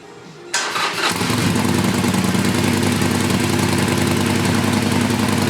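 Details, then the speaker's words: Used Harley Sportster started after a stock exhaust was fitted in place of Vance and Hines Short Shots, with no leaks. The exhaust heat shields are not yet fitted, so a metallic, buzzy rattle rides over a fast, loose, lumpy idle. "Rattled like crazy because the heat shields aren't in place, but we're good."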